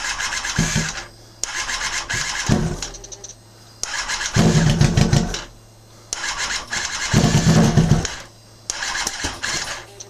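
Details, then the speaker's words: 2006 Kawasaki Ninja ZX10R, first start after modifications and a fuel system check, running without mufflers: engine catches, then loud open-pipe revving bursts with short quieter gaps, firing and running okay. "oh w damn this thing is freaking loud sounds okay"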